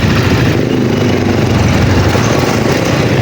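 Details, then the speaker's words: Microbike EXT150 after upgrade from 150cc to 200cc with a 65.5mm cylinder block: steady, low, even putter at idle with no knocking or rattles from the top end; quiet, starts quickly, good idle, though the exhaust is damaged. "yung tunog ng makina niya, ayan mga boss. Yan, tahimik naman siya. Mabilis siya paanda rin, tsaka maganda yung idle niya."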